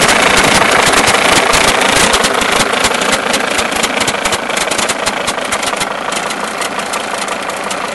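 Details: Mercedes S210 E290 TD diesel at idle: quick, fairly even knock about four times a second over the clatter, caused by a broken alternator one-way clutch pulley.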